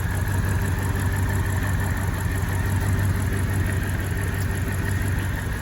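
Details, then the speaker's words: BMW E65, right after a spark plug change, before a test drive: uneven, stumbling low beat at idle instead of a smooth hum. Engine misfire; owners suspect the plugs were fitted wrong, perhaps tightened with a 1/4 inch drive. "It's not missing. It's missing. It's missing. Something wasn't done right. Something's not in right."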